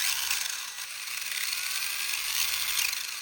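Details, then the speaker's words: Turbo Konect Elite Stock 13.5T motor with 100A ESC in a Hobbytech Over-D10 RC drift car, lifted off the ground during a throttle test on a soft setting before the values are raised: a high electric whir with faint gear chatter; the motor runs normally. "Bon, il gueule pas trop, c'est un réglage soft."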